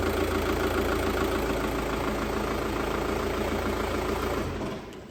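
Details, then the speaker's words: 2004 Audi A3 2.0 TDI BKD diesel started after timing belt and water pump replacement; loud harsh metallic rattle over idle at start-up, caused by a faulty dual mass flywheel. "it's just the that really loud rattling noise that you had to start with nothing to be worried about obviously yours shouldn't really sound like that it's just this is actually got a fault with the dual mass flywheel on it"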